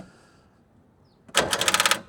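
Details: John Deere 5300 tractor with new battery reading 11.8 V, after belt and wiring work on the alternator: rapid burst of about ten sharp clicks with no cranking; starter clicking from low battery, alternator not yet charging.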